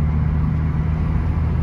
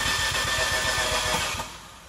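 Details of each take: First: 2015 Fiat 500C Abarth MultiAir after re-priming lost oil prime, light drive around the block: smooth even low rumble, earlier top-end tapping (judged injectors) calmed down; engine running healthy. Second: 2015 Fiat 500C Abarth MultiAir, sat a month in hot Texas July heat (90°F): starter cranks steadily about eight pulses a second without firing; oil drained from the MultiAir unit on top, losing its prime; re-priming attempt after adding oil.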